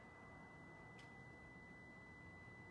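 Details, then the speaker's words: 2013 Lexus RX350, 156,000 miles, power liftgate: button press gives a single long steady beep with no movement; unlocks and opens manually fine, struts new, pinch sensors checked; liftgate motor actuator suspected and replaced. "and you hear that long beep let's try to open it in here as well try to push the button doesn't unlock manually opens just fine try to push this button it doesn't work with the long beep"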